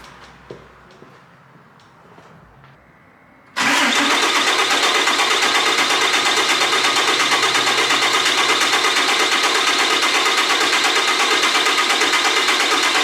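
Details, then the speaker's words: 2012 Dodge 3500 6.7 Cummins, first start after a head gasket and ARP 2000 head stud install: diesel catches after extra cranking and settles into an even, steady clatter with no misses or knocks; fuel system apparently self-bled, oil pressure about 48 psi. "All right, so we got the first start out of the way."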